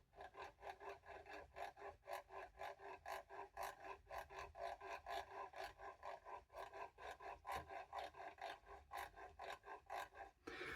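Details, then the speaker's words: New Shimano Stradic spinning reel, previously serviced, line pulled through by hand with the handle removed: a dry, scratchy rasp about twice a second from the line roller. The roller is not yet disassembled; the rustling is suspected to come from it. "Чуєте? Ну, ролик просто шелистить, ее, шумить просто неймовірно. Це ж тим більше ролик працює на високих обертах."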